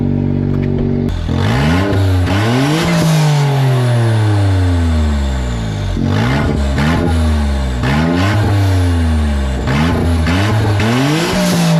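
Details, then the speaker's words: Autozam AZ-1 (Suzuki Cara) with Monstersport N1 ECU and straight downpipe, holding 1.1 bar boost. Harsh raspy blare rising and falling with throttle; owner first suspected a boost or exhaust leak, then found downpipe bolts fallen out: exhaust leak. "ottle sounds like a boost leak or an exhaust leak it sounds really weird yeah that doesn't sound right"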